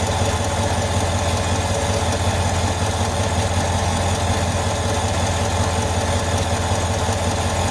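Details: 2023 GM 5.3 L V8 with 82,000 miles at idle after switching from 0W20 to 5W30 oil: steady, even low rumble with only a faint light tick left; the heavy ticking heard on 0W20 is largely gone.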